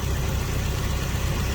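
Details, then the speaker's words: Toyota Tarago/Previa/Estima van engine at an even, low, steady idle with no ticking, knocking or hunting. This is the first start after reassembly, following a head gasket that had blown between cylinders 3 and 4. It now has a good gasket and a new, refreshed head, so it is a normal idle. "Looks good. And now that this engine has a good head gasket on it. Now the head is new, refreshed. So it should be a good running engine for a long time."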